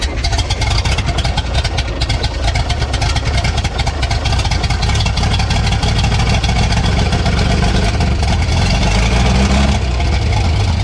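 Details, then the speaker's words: Vintage Scoopmobile LD5P articulating loader (thought late 1940s–early 1950s), first start in 20-something years after a small fuel squirt; loud, rough low bark through a short open pipe, catching and running unevenly. "That was the first start in 20-something years, Travis."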